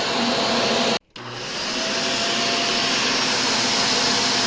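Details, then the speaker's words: Shark Rotator vacuum after clearing hair and debris from the brush roll: steady high whine of motor and airflow, briefly cut then spinning back up smoothly; runs normally with no rattle or labouring. "perfect there so now we fixed this vacuum"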